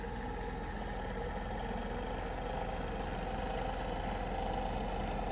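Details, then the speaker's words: Slinger bag ball launcher: steady rough motor hum with a faint grinding pulse while the rotating ball container fails to turn; it stops completely when more balls are loaded, and the lights flash. "what's happening it's having a grinding sound and then it's not turning the wheel"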